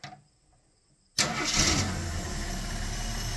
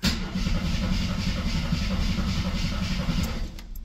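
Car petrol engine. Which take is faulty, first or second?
second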